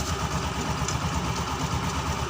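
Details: Honda Scoopy FI scooter with a rough-sounding CVT, run with the CVT cover removed and the rear pulley shaft looking fine: soft, even low rumble with no loud harsh noise. The roughness is traced to a worn part on the CVT cover.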